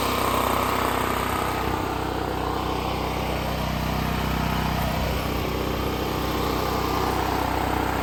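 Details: Extreme Contractor Series 6,500 W (8,500 W surge) gas generator, almost 20 years old, on a replacement carburetor that doesn't fit properly; choke held partly closed by hand, steady even single-cylinder idle with light mechanical patter. Idle held on manual choke.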